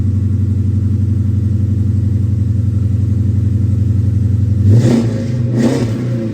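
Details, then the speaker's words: 2011 Dodge Charger R/T with replacement engine from a 2010 donor, long-tube headers and 6.4 intake manifold: lumpy V8 idle with two crisp throttle blips. Runs well, though the drive belt self-destructed; normal revving. "so it definitely sounds good runs really good"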